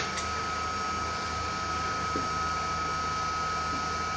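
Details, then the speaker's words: CNC spindle motor driven by a newly programmed VFD, test run at minimum setting of 5000 RPM; quiet steady high whine, even pitch, no roughness or knocking; normal low-speed running. "Okay, so that's the minimum setting of 5000 RPM."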